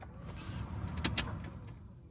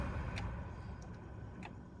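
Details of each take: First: 2002–2008 Dodge Ram diesel truck, key on, after new blower motor installation: a steady low rush of air through the fan speeds with a couple of switch clicks. Strong airflow and no squeal. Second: 2005 Dodge Ram blower motor on low speed before replacement: low fan rumble with irregular light ticks and chatter, with almost no airflow on low settings while the higher speeds work well; the worn motor is to be replaced.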